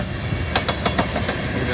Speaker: The wheels are rattling too.